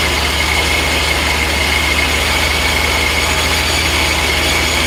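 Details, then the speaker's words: First start of the supercharged V8 after new mods: a loud, steady engine roar with a constant high belt whine over a low rumble. It is running fine despite noted transient issues, and the belt is running true. "okay we got some transient issues it fired up that's a good sign did fire up"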